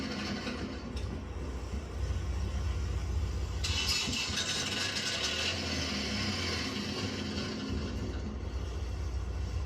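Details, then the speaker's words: Auction-bought Prevost Vantare Featherlite motorhome with airbag air leaks: generator cranks over a few seconds with a low rumble, then catches into a steady run with a hiss over the top; generator starts normally. "Generator wants to run."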